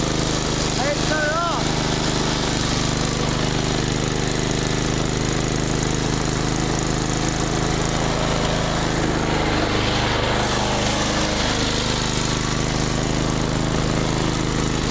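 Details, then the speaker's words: Small 5 hp snowblower with rubber auger paddles keeps running at a steady, even pace and will not shut off. The cause is not yet found; the owner plans to fix it. "why didn't you tell me it didn't shut off I didn't know it didn't shut off"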